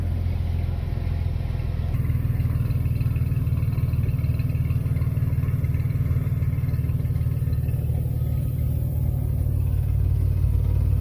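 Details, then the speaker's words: 1994 GMC Jimmy 4x4, 4.3 V6 CPI, 191,000 miles, after sitting six years, now on fresh gas: fires right up into an even low rumbling idle, steady beat, no misses or knocks; running on all six. "Running on all 6 now. Sitting just does not do good for any vehicle."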